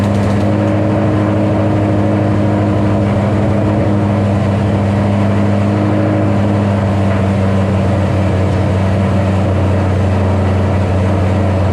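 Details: 2007 Ford Shelby GT500 (supercharged) on first start after L&M NSR cam install with Venomous Tuning tune: steady, even drone held well above normal idle, roughly 1500 rpm, no dips; idled real high on initial start, later brought down by a tune revision.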